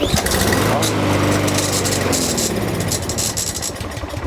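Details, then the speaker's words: Lawnmower that only runs on quick-start spray in the carburetor; catches and runs briefly on a rising note, then fades and dies within seconds; carburetor issue. "So it does start, but it dies right away. So this is definitely a carb issue here."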